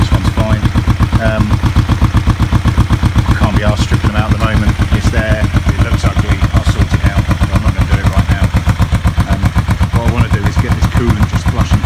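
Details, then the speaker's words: Kawasaki EN450 bobber twin, vacuum-fed carbs, warming up to test the fan and thermostat: steady even thumping idle about four beats a second, both cylinders firing but rich and lumpy, smoke looks dark; owner suspects float height too high. "it looks a bit dark but it's good enough for now i'm not going to get overly concerned about it being smoky"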